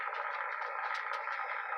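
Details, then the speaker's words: Restored Yaesu FT-101EX on 80 metres with five-band vertical in high-noise area, midday: loud steady hiss with crackles and no signals; normal heavy local RF noise level before noise limiter mod. "okay so there's my normal noise level on 80."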